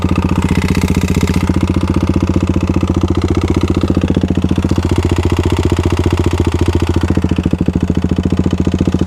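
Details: Modified Kawasaki KLX351 single-cylinder after hard riding on snow and ice, did not lock up: a loud hard knock at idle near four beats a second, heavier than normal firing; owner thinks not bottom end, possibly a failed cam chain tensioner if top end.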